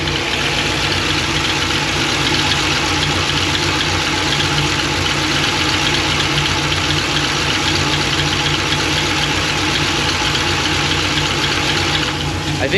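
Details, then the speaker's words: Supercharged V8 at idle with good oil pressure: light, fast, uneven ticking about four per second that seems to come from the top end; owner suspects a lifter, and the tick started fading after startup; source unconfirmed. "might be a lifter closing i could guess really"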